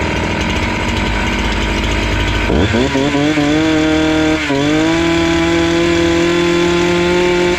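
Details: Husqvarna 268 two-stroke chainsaw, which stalled once warm and would not restart, test-cutting after air intake check: picks up from idle to a clean, steady high scream under load, holding revs without bogging or dying. Normal.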